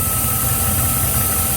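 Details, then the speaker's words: GM 6.0 V8 after knock sensor repair, idling in park, heard under the hood: thin constant whistle and hiss over the rumble; vacuum leak from cracked PCV elbow hose, elbows to be replaced. "Oh, the PCV is leaking, you hear it? I'm going to have to get elbows for this."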